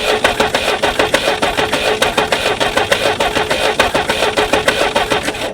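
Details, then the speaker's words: Jeep sat 25+ years, first start attempt, checking spark while cranking: steady cranking at a couple of beats a second, never catching. "So, the gray one, carbs flooding. Got fuel dumping out the the vent tube there. So, that one definitely needs a rebuild."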